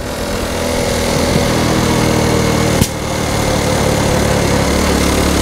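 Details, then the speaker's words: Honda Cub C90 moped engine running, then one sharp pop from the exhaust. It backfires now and then because the exhaust is not connected properly, leaving a small gap that blows back. "just hear it backfiring a little bit i haven't quite got the exhaust connected properly there's a little bit of a gap and it just blows back a little bit every now and again"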